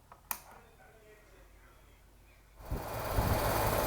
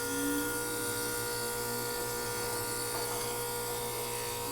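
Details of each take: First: Outdoor AC condenser unit after repair, fuse back in, thermostat set to cool: quiet a few seconds, then the unit kicks on and the fan whoosh builds steadily. The fan now runs, so the repair succeeded. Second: Outdoor AC condenser unit set to cool: compressor running with a loud, steady low electrical hum but the fan does not run, even after trying to kickstart it with a screwdriver. Diagnosed as a bad capacitor.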